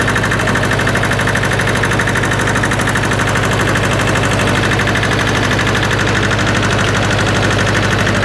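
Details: Hinomoto E230 diesel tractor, first run after sitting parked for years: steady diesel idle, even clatter about three firings a second, no misses or knocks; engine healthy and settled.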